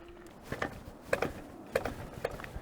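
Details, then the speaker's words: KuKirin G2 electric scooter riding over forest roots: sharp hollow clunks, about one a second, as the front wheel hits bumps. The owner suspects the metal spring housing of the front suspension is resonating, but the cause is not confirmed. "sounds like suspension itself is making some sound I tried to find the reason but I couldn't"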